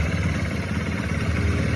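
A small motorcycle engine idles with a steady low thrum and no chain rattle or ticking on top.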